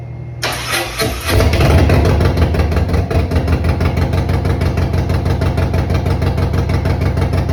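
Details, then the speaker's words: Harley-Davidson Road Glide M8 after cam swap, first start with no exhaust slip-ons fitted: quick crank and catch, loud lumpy but steady big-twin idle about three beats a second, no knocks or misses; healthy. "I did fire it up for the first time last night, and oh my god, this thing is stupid loud. It sounds amazing."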